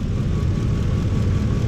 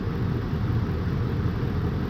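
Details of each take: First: 2004 Ford F-150 5.4 3V V8 with flashing check engine light, cylinder 8 not contributing from a failed ignition coil: lumpy uneven idle with heavy low thump stumbling every few beats, engine visibly rocking. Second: 2004 Ford F-150 5.4 3V V8 after replacing the failed cylinder 8 ignition coil with a new Master Pro coil: steady even low rumble with no stumble; engine no longer rocking, smooth on all cylinders.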